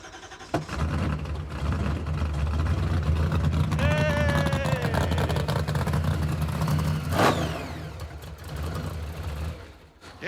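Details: Supercharged 426-based Hemi in a '55 Chevy, just restarted after swapping to the older, smaller Hilborn cast throttle body for better drivability: cranks, catches and holds a steady, even idle without stumbling; normal idle.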